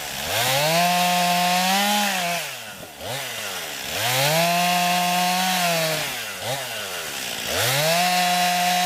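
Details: New 50cc chainsaw, about ten pounds, cutting wood from a skidded pile on a cold day: strong high buzz dips as each cut loads it, recovering between cuts roughly every three seconds. Owner finds lots of power for 50cc; normal healthy cutting.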